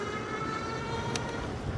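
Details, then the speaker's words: C3STROM Astro Pro e-bike ridden in wet conditions: steady mid-pitched hum with thin ringing tone over wet tire hiss; something rubbing at the front wheel, possibly the brake or something run over, not confirmed. "but I will say whatever that noise is that is uh that's not the company's fault there's something going on with this bike that I I definitely probably ran over so don't judge the company for it"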